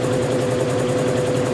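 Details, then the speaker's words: GE washer motor being tested during cleanup for resale; it seems to stall on the start winding, cause unknown: a steady electrical hum with a slow pulsing beat as the motor strains instead of spinning up. Motor stalling on start. "did it just stall out of the the start winding I don't get it but all right"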